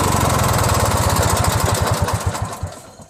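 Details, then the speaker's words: Briggs & Stratton 16HP opposed twin (free trash find, valve unstuck, carb added) on a Murray tractor: lumpy chuffing at three or four beats a second that sags and dies away. Owner suspects a lean air leak at the carb's missing Welsh plug; a finger over the hole makes it run much better. "Apparently it's missing the Welsh plug, I think. Whatever goes in there, it was missing. So that's why it's not running right."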